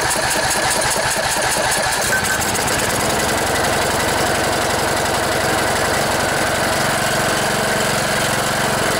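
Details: Cub Cadet LT1018 riding mower, 18.5 hp Briggs & Stratton Intek OHV single, stored about a year, after new battery and replacing fouled spark plug, with starting fluid: catches after a couple seconds cranking and settles into steady, even chug; no more smoke.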